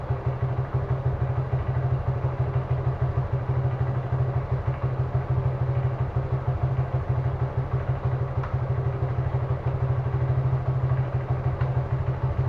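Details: Suzuki Gixxer carbureted single-cylinder motorcycle with mileage drop: idle chuffing about three beats a second, slightly uneven and hunting, consistent with a misfire from an intake vacuum leak at the carburetor; cause suspected, not confirmed.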